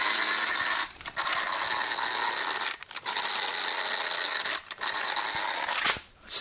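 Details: Used HPI Savage Flux HP RC truck, rebuilt after a crash, probably stock drive gear: sharp rapid metallic clicking while the drivetrain spins, in short bursts; spur and pinion look fine, owner suspects the drive gear; drivetrain clicking.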